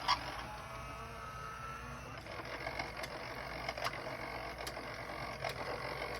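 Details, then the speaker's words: Denon DCM-380 CD changer after fixing the tray that would not open (Error 2) caused by a seized motor: quiet whir and soft clicks as the tray loads and the disc pre-scans, slight screeching remaining; normal CD loading. "it will load up that CD we'll pre-scan it if I press play place that CD is really badly scratched so surprised it read it but it did"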